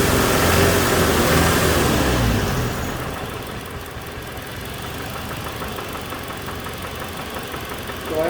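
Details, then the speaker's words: 2007 Toyota Tacoma 2.7 four-cylinder, during a fuel-cut test after the revs drop: a sharp, even knock about four times a second rides over idle, changing with cylinder 1 cut; teardown found a spun connecting rod bearing. "now it's got a double knock when i kill number one cylinder but it definitely seems to be related to number one"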